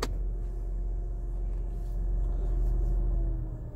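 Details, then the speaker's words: Renault Triber idling with all windows closed and AC switched on: steady low engine rumble with an even radiator fan hum on top, no knocks or rattles. This is normal radiator fan noise with the AC running, not a fault. "यह देखिए इसका जो reason है जो humming sound है humming sound आती है जो रेडिएटर का फैब्रिक उन पहनना उसकी"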